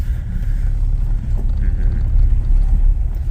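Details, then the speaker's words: Jeep Cherokee 4.0L at 345,000 miles, idling under load with revs sagging (formerly knocked below 700 rpm), after a cracked slapping piston was replaced: a deep, even rumble with no knock at all. The bottom end sounds healthy. "That's That's silent."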